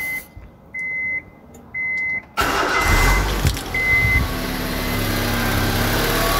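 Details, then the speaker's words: Honda Civic VTiS manual 2005 started after checking spark plugs and refitting the cover: three dash chimes, a short crank, then the engine catches cleanly and settles into a steady, even idle; normal healthy start. "engine udah nyala, aman."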